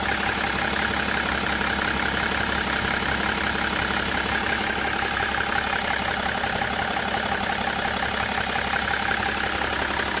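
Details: Late-2004 BMW E61 535d diesel at idle: a regular knock about three times a second at the front of the engine, loudest near the intercooler; cause unclear.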